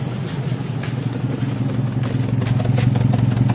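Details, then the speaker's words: Taruna EFI with zero fault codes, before tune-up, complaint of stuttering and lack of power: low, lumpy exhaust idle with an uneven, stumbling beat from a misfire. "Oke, cek engine aman yo, 0 DTC tapi pincang. Kenapa? Yombo 0 DTC tapi pincang yo."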